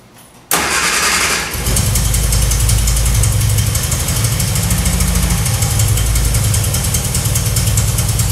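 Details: 1966 Triumph Spitfire MK2 four-cylinder on adjusted carbs, started to test the ignition: catches on the starter, then a lumpy, uneven idle with missing pulses; owner then rebuilt the carbs, but the misfire came from two swapped spark plug leads.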